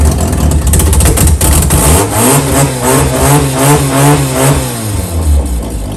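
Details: JDM Mazda RX7 FC rotary, first start after sitting, with new battery, 98 petrol and fresh fluids: brief crank, catches, revs up cleanly and settles into a smooth, even buzz; runs healthy.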